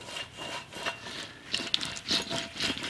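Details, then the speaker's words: Removed rear wheel bearing from a Ferrari F430, turned by hand: gritty, rasping grind in uneven rough, catchy bursts, chunking around; worn-out wheel bearing, replaced. "Alright, well, as you can see, yeah, this thing is in bad shape. I can feel it kind of chunking around, so yeah, that sucker is toast."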